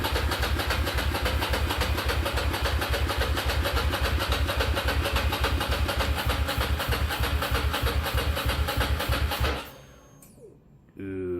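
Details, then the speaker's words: Ducati Monster 695 café racer after rewiring and new coils/HT leads, choke tried: starter churns a steady fast chug for nine seconds but never fires; cranks without starting, owner suspects it needs more fuel, possibly low battery. "feel a low battery coming on maybe a requirement for more gas additional petroleum required"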